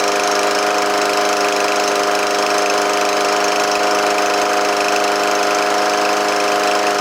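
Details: Troy-Bilt TB110 push mower, Briggs & Stratton 550EX, after repair of a no start: valves adjusted, choke shaft and choke valve repaired, carburetor sorted, air filter refitted. Steady, even engine note at constant pitch, no misses or surging; running smoothly.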